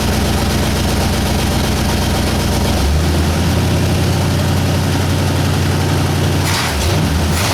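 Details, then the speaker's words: 1960 Ford F100 with 351W V8, first start after carburetor clean, valve cover bolts missing: deep, steady burble settling into an even idle with no knocks or misses, oil light went off at once; engine sounds healthy. "well started and ran oil light went off as soon as it started"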